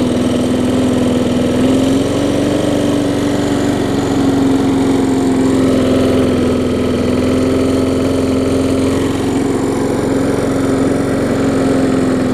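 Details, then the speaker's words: Bolens walk-behind mower traded in, running with air filter fitted after earlier stalling; hard shaking rumble under a steady engine note, vibrating like crazy, blade later replaced. It ran longer than before but only stays running a few minutes. "yeah oh yeah it's vibrating like crazy there but that's more that ran earlier so that's that's a good thing"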